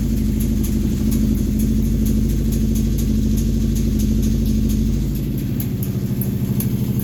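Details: Kawasaki Brute Force 750 V-twin idling: sharp, regular tick-rattle that comes and goes over the rumble; engine teardown found a blown crankshaft bearing.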